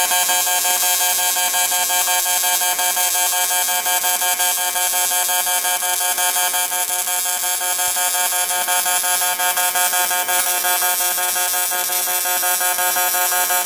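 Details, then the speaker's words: Welder working on something round for a barrel project: a steady, harsh electric buzz with a fast, even pulsing that never changes; normal welding in pulse mode. "like I say nothing fancy we're just going to it the buzzing that you hear that's uh that's welding in pulse mode"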